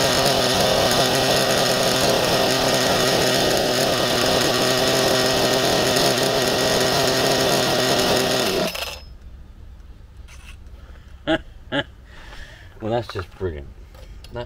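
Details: Nova B3 nitro RC buggy engine running cleanly: a loud, high, even buzz held steady for about nine seconds, then cut out to handling sounds; it later kept sticking.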